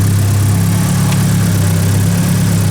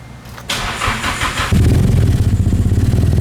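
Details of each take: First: Nissan S13 hatch with SR engine from a car that sat two years, just swapped in: steady low idle with even rumble, no knocks or stumbles; cam angle sensor timing was off, engine retimed, owner feels it sounds less smooth. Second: Nissan S13 hatch with SR engine swapped from a car that sat two years, first start after work: cranks, catches, lumpy idle with small pops; cam angle sensor set off, ignition needs retiming, no compression loss heard.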